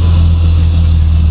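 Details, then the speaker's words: Old gasoline Jeep pickup idling while its intake vacuum pulls a veggie-oil collection tank, expected to reach 15 in vacuum within 2–3 minutes; smooth, deep, even drone with no stumble, healthy idle under load. "but it'll pull on this you can hear the still running fine uh within a oh 2 or 3 minutes It'll have it up to 15 in of vacuum"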